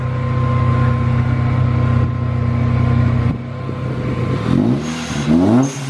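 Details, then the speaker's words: Manual supercharged Toyota Tacoma after the exhaust was changed. A deep, smooth exhaust rumble with clean rev blips sounds meatier, and the rasp heard at first start is gone. "It's definitely meatier. It sounds meatier, but it's not raspy. It had that rasp when we first started it."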